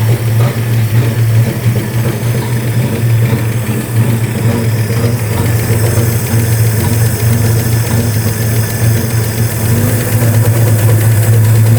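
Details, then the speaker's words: 1967 Ford F-100 with a 240 inline-six and three-on-the-tree manual, just revived: a deep, mostly even idle with an occasional stumble. Runs pretty smooth but still has a little miss, and the timing is not yet checked. Slight misfire at idle. "All right. Well, hopefully you can hear that a little bit better, but it really is running pretty smooth. I think we've got a little mist to it still."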